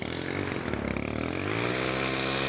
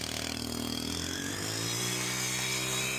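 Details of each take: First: STIHL FC 90 edger brought in for a recoil problem and general service, first start after replacing the primer bulb: the small engine catches into a high buzzing run with an uneven, shaky edge, rough running with heavy vibration and smoke burning off. Cause not confirmed. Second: STIHL FC 90 edger after a general service and tune-up, primed after sitting, first pull: it revs into a clean, steady high whine and drops back smoothly, with less vibration than before; normal running.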